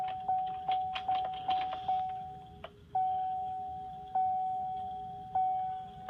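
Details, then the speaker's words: Duramax work truck with a FASS fuel system, just after a fuel filter change: steady electric pump tone around 800 Hz with soft clicks and relay ticks as the fuel pumps kick on before start; transfer pump priming normally. "the fuel pumps kick on. Fire it up and just let it idle."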